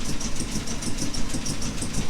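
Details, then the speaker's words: Jaguar Mk2 (budget build), first start in years with automatic enrichment device removed: even, steady low idle with regular firing pulses, no misses or knocks; normal idle. "Manual choke conversion. Okay, let's see if she'll pop. Okay, she's a runner."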